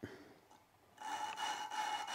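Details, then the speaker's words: Gritty, rasping back-and-forth scrape of lapping compound grinding a valve into its seat on a resurfaced 2001 Dodge Neon head, using a suction-cup stick tool; rough early stage before the grinding smooths out. "and you'll hear as you're grinding the grinding will get smoother and when it Smooths up you just tap it some that'll redistribute the [Applause] compound and grind again until you Smooths out"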